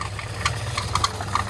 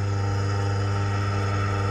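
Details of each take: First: Car-washing pump motor, very hot, restarted after rejoining a wire: steady hum with irregular sharp knocks several times a second and jerking; bearing failure suspected, but motor ran quiet with fan belt removed, so the pump side is suspected. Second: Car/bike washing pump's electric motor run with the fan belt removed, after knocking with the pump attached (pump bearing suspected): steady, even hum with a low drone, no knocking or grinding. Motor fully OK.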